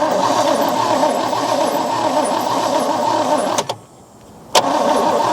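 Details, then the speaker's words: 1963 Oldsmobile 98 that sat in dirt for years is cranked by a jumper-wired starter. It turns over freely, not locked up, with even, rapid churning that pauses and resumes but never catches. No fuel comes from the fuel line. "I just want to see if there's any fuel going to come out of here or any water or whatever but it don't look like nothing's happening"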